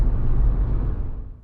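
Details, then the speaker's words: Jeep Wrangler Rubicon, Freedom tops off, slim roof rack, after refitting the wind fairing in place of the skinny fairing, at 26–30 mph: only low road and engine rumble, with no whistle. "so i'm going to be quiet and we're at 18 26 miles per hour 28 there is no whistling 29 30."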